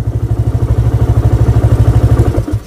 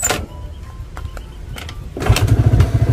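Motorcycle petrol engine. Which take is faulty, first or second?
first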